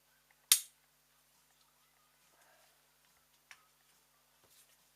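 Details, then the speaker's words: Freshly rebuilt 46RE transmission from a 1998 Jeep Grand Cherokee that had no upshift, only Reverse and Drive. During the governor air-pressure test, one crisp click is heard, then near silence. The valve responds normally. "very simple you have this put GL pressure make sure you hear this noise this"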